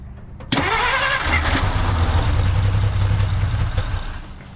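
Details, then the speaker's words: 1950 Dodge Meadowbrook, long-sitting, fuel poured in to start: engine catches with rough uneven chug, runs about a second without settling, then dies; fuel starvation suspected, not confirmed. "All right, as you can hear, it ran for 0.5 seconds, so we're making progress."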